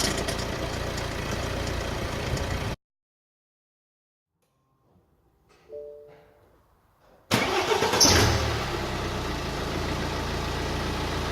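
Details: BMW E87 120d N47 diesel after timing chain replacement (lower chain had stretched, guides worn, tensioner at maximum extension), idling smoothly and evenly after restart with no chain rattle or clatter: normal diesel idle.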